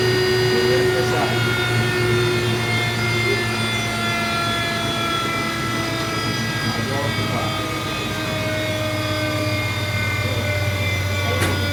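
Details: Continental-Girbau washer drum coasting down after spin: braking cycle fails, motor restart for electric braking speeds it up; heavy low thunderous roar with falling tones from worn drum bearings; drum barely scrapes when turned by hand, motor declared finished.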